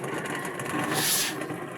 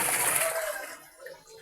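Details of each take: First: Astron single-tub washing machine, pulsator spinning: harsh gravelly grinding and clacking, very loud; worn gearcase, motor rusted but still working. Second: Astron single-tub washing machine with water in the tub, after repair of a loud gravel-like grinding during pulsator spin; water sloshes and splashes with no grinding: normal quiet wash.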